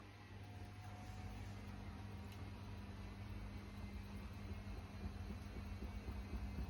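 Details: Samsung washing machine on final spin with a deep, uneven rumble and irregular thumping, about four knocks a second; very weird noises.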